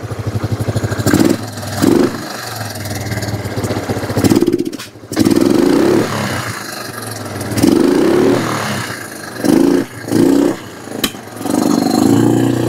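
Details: Kawasaki Bayou 300 ATV single with aftermarket carburetor, parked two years, cold, idle knob adjusted: idle surges and sags every second or two, nearly stalling; rough running, suspected intake leak or sticky intake valve.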